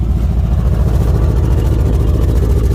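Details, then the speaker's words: 1977 Chevrolet Nova Concours survivor after the drive home, needing a tune-up: loud, deep raw idle rumble with throbbing low pulse and no muffling from a blown-out muffler; car also has a pretty good miss. "Well, you want to know about that blown out muffler?"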